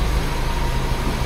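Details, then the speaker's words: 1976 BMW 2002 (E10) with re-jetted Weber carburetor, just started cold: steady smooth hum with even quick beat, no knocks or stumbles, high idle about 1300–1400 rpm as specified; normal fast idle. "So that should be the high idle right there which it sounds about right. See this thing here what it says about 1300 for high eye 13. Yeah 1300 about 1400."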